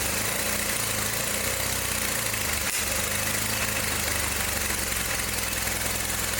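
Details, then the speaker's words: John Deere 318 lawn tractor, started with help from starting fluid, runs rough and uneven with a lumpy low beat under a harsh rattle, and it got hot fast; points gap too tight, a weak-spark ignition problem. "To me, it sounds like it's got an ignition problem because it's running, but it got real hot real fast."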